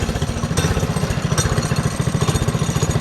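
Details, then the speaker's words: Mini drift quad single-cylinder engine on its first test drive after a new gas tank, brakes and throttle, with the exhaust close to the rider's leg: quick, even thumps at low speed, pulling cleanly without misses or rattles. "but enough jibber jabber that's get riding she runs pretty good I'm going to give her"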